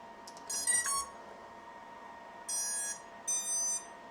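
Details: Clean rising chime then two short even beep groups, all in unison, at battery connect on a 4-inch FPV drone after an earlier delayed, staggered beep; ESCs now initializing normally together.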